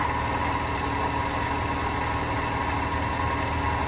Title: Hotpoint bad bearings